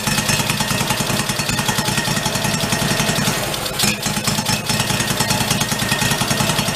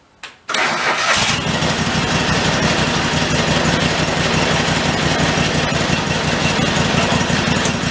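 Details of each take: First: 1991 Craftsman GT garden tractor single-cylinder, running on fuel from the tank after priming: even, steady idle with a clean, regular beat and no misses or knocks; normal idle. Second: 1991 Craftsman GT garden tractor with rodent-chewed air cleaner, drive wheel jacked up: cranks and catches, runs steadily about ten seconds, then dies abruptly as the seat safety switch cuts the engine; bypass needed.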